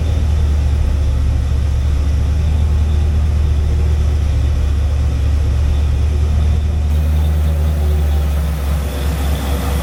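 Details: Rebuilt barn-find Mopar 340 V8 on engine dyno during second 10-minute cam break-in run after cooldown: deep steady even rumble with no ticking or tapping; valvetrain quiet, no rocker or lifter noise.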